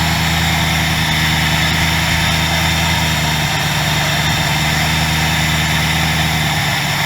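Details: 2003 Mercury Marauder V8 at idle right after fitting new ignition coils and siliconing the valve cover coil-well o-rings (oil had leaked into one well): steady, even low rumble, no stumble or misfire; engine running cleanly.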